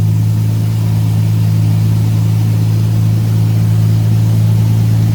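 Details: Jaguar XJS V12 barn find, sitting outside nearly 7 years, running on fresh fuel: starts straight away, then a deep, steady, even drone with constant pitch and no knocks or misses.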